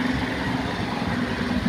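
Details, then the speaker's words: Harsh gritty rasp over the single's running note from the clutch side of a Bajaj Platina motorcycle, kick-started after many kicks (weak battery), shown in gear; burnt, worn clutch plates. "দেখুন অনেকবার লাথি মারার পরে গাড়িটা start দিয়েছে আর খার খার খার আওয়াজ হচ্ছে ক্লাস সাইড থেকে চলুন গিয়ারে মেরে দেখাচ্ছি"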